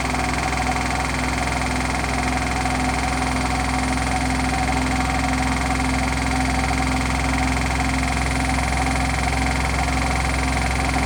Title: Hotpoint With Bad Bearings Final Spin